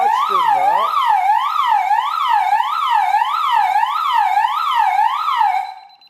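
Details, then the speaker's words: DSC alarm system armed, external siren cover on zone 2 (instant zone, no entry delay) opened: loud siren sweeping up and down about every 0.6 seconds, then cut off abruptly when the code is entered; tamper alarm. "sistemin kapağını açtığımda alarm sistemi öpmeye başladı şifreyi girerek alarm sistemini susturdum"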